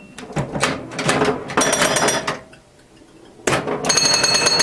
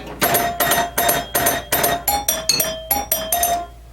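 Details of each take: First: Restored 1977 Williams Hot Tip solid-state pinball machine during play: bursts of bright ringing chimes with quick solenoid clacks and score clicking, then pauses; a startup chime note seemed off-tune to the owner; normal gameplay. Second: Early Williams Electronics solid-state pinball machine startup melody on aluminium chime bars: quick run of about a dozen strikes, one note sounding flat and off-key; out-of-tune chime note, cause suspected, not confirmed.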